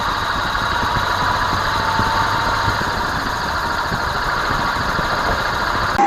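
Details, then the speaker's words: Car driveshaft center support bearing corroded internally by water from driving through puddles: steady droning hum with a constant mid-pitched whine. Badly worn, it can also make the shaft knock against the underbody. "Cuando está dañado, podría escucharse algo así y en ocasiones se daña bastante, que genera un golpe de la flecha hacia las paredes del chasís de la parte baja del carro."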